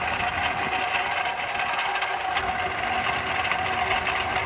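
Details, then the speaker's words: Range Rover petrol V8 with 167,000 miles, idling: busy metallic rattle that sounds like timing chain but is a bad water pump bearing. "so on the outside people are like oh my god it's the timing chain that all or the timing builder chain but all in reality it's just a bad water pump"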